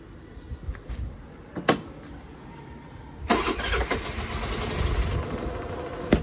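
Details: Suzuki Burgman 125 scooter after battery replacement, battery reading 12.2 V: brief crank, then the engine catches at once and holds a steady idle, charging at 14.1 V; clean, healthy start.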